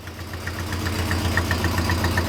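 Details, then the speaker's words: 1965 Buick LeSabre V8, sat since 1989, idling in drive: quick regular scraping tick over the rumble as the muffler rubs the driveshaft U-joint; gears work, exhaust to be fixed. "all right go down to drive oh the muffler is rubbing the uh the Ruffles rubbing the U-joint so we gotta fix that but it's working that's awesome"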